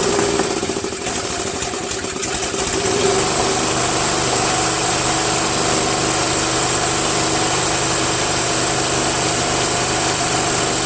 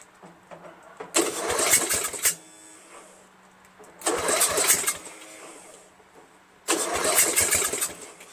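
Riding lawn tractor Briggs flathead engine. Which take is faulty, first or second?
second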